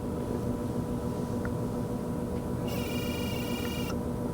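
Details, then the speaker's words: 2023 Kia Sorento, engine off with the key out: faint hum broken by about a second of sharp electric buzzing under the hood, intermittently. This is the integrated thermal management module (electronic thermostat) actuating; the throttle-body clicking had already been stopped by unplugging a connector. "it is uh making a buzzing noise every once in a while that is the TMM it's a integrated thermal management module is what they call it"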